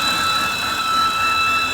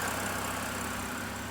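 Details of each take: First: 2013 BMW 328i E93 with N52 engine at idle: steady, loud, belt-like high squeal with a fainter overtone and a slightly low, fluctuating idle; it stops when the oil filler cap is removed; caused by a damaged CCV diaphragm, fixed by replacing the valve cover. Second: 2013 BMW 328i E93 with N52 engine after replacing the valve cover assembly to fix a torn CCV diaphragm that caused a loud belt-like screech and a rough, fluctuating idle. Now an even, steady idle with no ticking or hissing; runs smooth.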